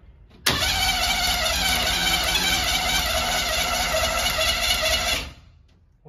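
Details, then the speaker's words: 1971 International Metro Mite, AMC 232 engine, no-start attempt: about five seconds of steady high starter whir never catching; cranks but doesn't fire, later started with a shot of fuel. "Well, now it doesn't seem like it's firing, does it? Like it was before."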